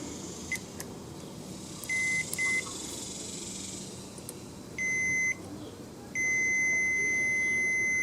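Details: Snapper SR1230 rear-engine riding mower, magneto connected, multimeter on ignition kill wire: short high beeps then long steady continuity tone with ignition key off; kill circuit grounds properly.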